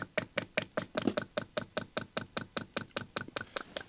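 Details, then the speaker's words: Chinese diesel heater's outside fuel pump, plugged in indoors for testing while troubleshooting error 4: crisp evenly spaced clicks about five per second in a quiet room; pump heard working, stroking properly. "and you can hear it it's pumping"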